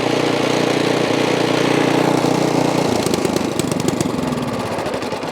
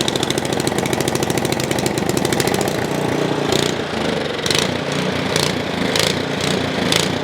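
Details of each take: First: Ariens Path Pro 208cc single-stage snow blower engine after opening up the carburetor idle circuit jet, started without primer; holds steady even speed with no rise and fall, surging fixed. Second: Ariens Path Pro 208cc four-stroke single-stage snow blower idling unloaded: revs rise and sag about every second, an idle surge the owner says disappears under load in snow. Cause not yet identified.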